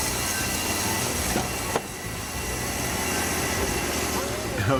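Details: Wood-Mizer LT40 Wide band sawmill cutting an old, dry spalted maple log: steady rough rasping hiss with an uneven gritty edge. The band was damaged after hitting nails in the log.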